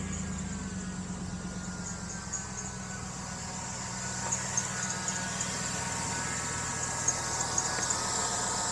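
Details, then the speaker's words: 2000–2006 Chevy Tahoe V8 at idle before tensioner replacement: thin high chirpy accessory-belt squeal over low rumble; owner suspects the old tensioner pulley, but the squeal persisted after replacing the tensioner. "yeah, it's squeaking a little bit. And like I said, I tried to replace it once, but gave me the wrong pulley. So I just put the old one back on. I think that's why it's squeaking like that."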